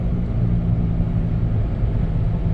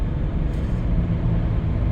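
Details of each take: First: 1997 Dodge Caravan LE at about 55–60 mph: a steady low drone under the road rumble, with no knocks. It has grown progressively worse. The tires were checked for cupping, and the owner is fairly sure it is a front wheel bearing. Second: 1997 Dodge Caravan LE driven on tar road after replacing the worn front right wheel bearing (had play and grinding): only low even road rumble, no growl or hum rising with speed; bearing now quiet, another noise suspected elsewhere.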